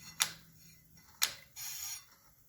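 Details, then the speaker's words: Kawasaki KLR 650 after Trail Tech Vapor install, wheel turned slowly by hand: sharp single clicks about a second apart; speed sensor magnet on the brake rotor pulls the brake pad, not the bolt hitting. "it's just the brake pad clicking. I thought the bolt was still hitting, but no, it's just clicking the brake pad."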